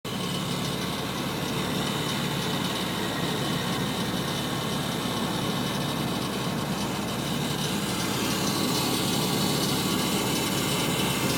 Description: Rattle sound when A/C is on.